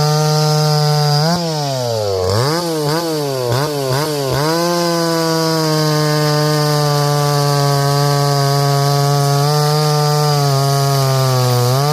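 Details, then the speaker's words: Stihl 024 AV Wood Boss chainsaw after high-jet tuning: revs sharply a few times, then holds clean steady scream under load through the cut; runs strong. "Runs pretty good."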